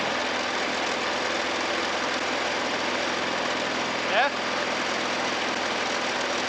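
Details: Scrap Hayter 48 mower with Honda engine, obtained free, choke off after starting: small petrol engine holds a smooth constant buzz with no surging or misfiring; running fine.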